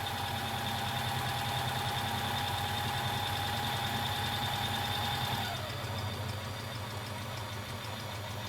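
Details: Bernette 50 sewing machine after servicing and lubrication: even, fast mechanical chatter with steady hum easing off partway, no squeak or knock; runs smoothly.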